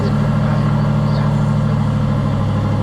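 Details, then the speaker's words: Aston Martin V8 Vantage bought as non-driving, first cold start: a deep, steady V8 burble with even firing through light revs, no stumble or misfire. It runs smooth and healthy. "that sounds insane. That sounds real good."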